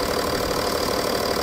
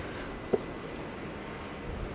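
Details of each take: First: BMW M550d F10 diesel after coolant-leak repair (water flange), before a test drive: steady, even idle with light clatter, no misses or surges; normal idle. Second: BMW M550d F10 diesel, first start with a booster after coolant-leak repair (water flange, intake gaskets) and a long time unused: catches and runs roughly about six seconds with uneven pulsing, then cuts out by itself; stalls after starting.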